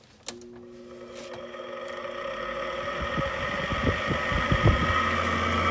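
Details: 2014 Frigidaire air conditioner with King Yang compressor, removed from case, old fan motor on low fan: rising hum with quick uneven ticking rattle about three a second, worsened after washing; worn fan motor bearings, motor swapped.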